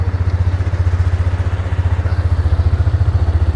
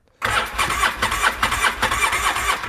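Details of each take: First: Used ATV bought as a runner, now running after the fuel pump was confirmed working: an even single-cylinder thump at about 220 beats a minute that picks up cleanly under light throttle, no knocks; engine sounds good. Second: Used two-cylinder ATV with one cylinder near 120 psi and the other low on compression, cranked on the starter: quick, slightly lopsided pulses that never fire; would run on one cylinder at best and needs a top-end job.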